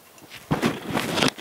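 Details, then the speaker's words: Anilam/SEM MTS30M4-59 brushed DC Z-axis servo motor from CNC mill (Z lag over max fault): shaft turned slowly by hand gives dry gritty scrape under a second; something rubbing inside. "now this specimen here is the uh servo motor for the z axis and uh when i turn the shaft there's some sound to it"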